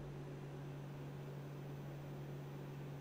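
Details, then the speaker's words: Replacement Noctua NF-A4x10 FLX fan (rated at perhaps 17 dB at 4,700 RPM, 5 CFM) for the Bluetti wall charger, running with a soft, steady hum. It measures about 43 dB against about 42 ambient, far quieter than the loud original fan: normal running. "and we're measuring about 43. if you put your ear up to it you can hear it but it is nothing like the fan that came out at all"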